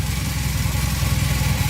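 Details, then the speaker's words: 1982 Honda CM450 that sat for years, first start with the choke on and the clutch held in: it started easily with no repairs and settles into a steady, even low thump at idle with no knocks or misses. Running perfectly. "oh hey that was pretty easy it's running perfectly"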